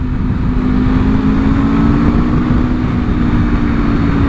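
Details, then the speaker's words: 2026 Aprilia RSV4 V4 with replacement engine (original failed at 12 miles from dropped valve), about 13 miles, stock exhaust: smooth, even, quiet drone with steady low tone, no knocks or ticks; normal running, healthy. "to get an exhaust on this thing, because I mean, she sounds good, but quiet. Oh, I am so not used to. I thought the Tour Glide was my quiet bike."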